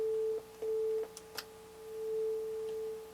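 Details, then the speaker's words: NAD 3150 integrated amplifier on bench with test tone: tone cuts out abruptly and returns; right channel dropping out, suspected from flux-contaminated open trim pots losing contact. "I lost a channel lost my rate Channel"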